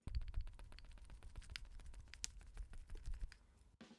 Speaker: this this H in side when you have it collapsed it actually causes a little bit of a rattle that kind of uh yeah took a while to uh diagnose